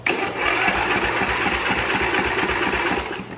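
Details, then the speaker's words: Briggs & Stratton Intek twin-cylinder engine on a Craftsman tractor, cranking with one spark plug removed: even, rapid whirring with the valve-guide noise gone, showing the fault is on the other cylinder. "Okay, now let's see what it sounds like. That noise went away."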